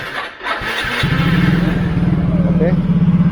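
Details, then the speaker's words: Yamaha motorcycle with a steel Takayama liner replacing the original cylinder block, after a 12 km ride: starter whirs briefly, catches at once, settles into an even single-cylinder idle; engine smooth, no abnormal heat. "mesin ya masih halus Kang Bro mesin masih halus"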